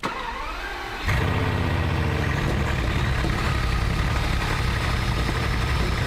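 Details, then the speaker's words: Big petrol engine cranks and settles into an uneven, stumbling idle; parts swapped 15 to 16 but cylinder 16 misfire remains, plus random misfires on cylinders 9–14 and 16, all on the left bank; suspect spark plug, ECU or that bank's unit. "Cylinder 16 misfire is still there. And we've got random cylinder misfires all coming from the left [music] side of the engine."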